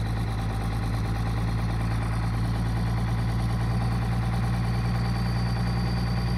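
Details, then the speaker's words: 1999 Dodge 2500 5.9 24V Cummins started around -3°F in Iowa, unstarted for weeks: loud, steady low diesel throb at raised, even speed, the normal cold three-cylinder high-idle warm-up mode; sounds bad but warms up faster. "now it sounds really bad but exactly it helps warm up real fast a lot faster"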